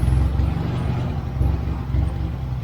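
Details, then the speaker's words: 1970s Turner Ranger tractor, 1098cc A-series Mini engine: low, lumpy idle with skipping, stumbling thumps, running on only some cylinders; owner suspects dirty spark plugs or swapped HT leads. "it was missing a bit but let's try that again it clears sounds like a stone on the cylinder somewhere"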